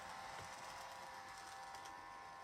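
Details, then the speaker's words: Kato 521 series model train motor after about 20 minutes of running, already oiled three times with the noise returning each time: faint, thin, high-pitched buzzing whir with light rattle; noisy motor, owner suspects motor bearings. "Yeah, that is irritating. So, I mean, I will order it again this time."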